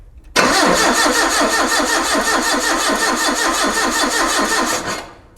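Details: Mitsubishi forklift with no-start from bad distributor, cranking during spark test with plug wire on tester: five seconds of brisk even cranking, no firing; spark now present.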